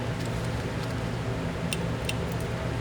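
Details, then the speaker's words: Fuel injector from a Honda VFR800Fi (5th generation) bench-tested on the bike's 12 V battery: sharp, light clicks over a background fan hum as it opens normally. "rrent i'm using the 12-volt battery that comes out of the bike and you'll hear a clicking sound"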